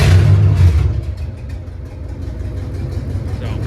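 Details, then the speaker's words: C3500HD V8, two cylinders not firing after coil pack swap, injectors suspected gummed; lumpy, uneven idle stumbling three to four pulses a second, more responsive than before, good oil pressure: engine misfire. "this is the best that it runs. Has ran, but you can hell tell it's got a hell of a misfire, but it's very a lot more responsive than than it was."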